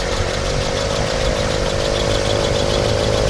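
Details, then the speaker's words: 1967 Mercury Cougar XR7 V8, just fired up under the hood: smooth steady idle with an even whirring hum from the smog pump, judged normal; possibly a slight belt squeak, power steering present, nothing worrying. "You'll hear the smog pump here. That's normal."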